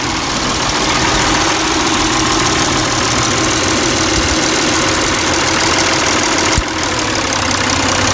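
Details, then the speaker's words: 2002-2006 Toyota Camry 3.0L V6 warmed up, ECT sensor test, idle around 700-800 rpm, gauge unaffected by sensor: steady, even idle with no hunting or surging; owner notes unfixed overheating issue; normal warm idle. "that ect sensor does not affect the cluster uh gauge here idle actually is pretty good here maybe at eight four is like seven"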